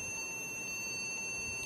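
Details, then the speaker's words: Small laptop at power-on, blue light on but no display and not booting, giving a steady, unbroken high-pitched beep. Suspected stuck or failed keyboard key, not confirmed. "तो आपको किसी तरह की beep की आवाज सुनाई दे रही होगी"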